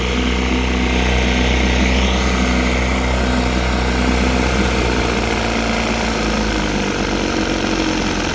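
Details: Rebuilt 1960 Evinrude Fisherman 5.5 hp two-stroke outboard in a test tank after first cold start: steady idle, slightly uneven beat early then smoothing out; pumping lots of water, a bit lean, idle being dialed in; sounds properly set up.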